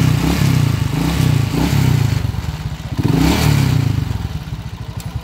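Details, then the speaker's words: TMX 155 motorcycle engine before overhaul, also smoking from the exhaust: a loud, uneven clatter at about four knocks a second over a rough engine; oil starvation from a blocked oil pump. "So narinig niyo yung andar nito? Napakahingay kanina."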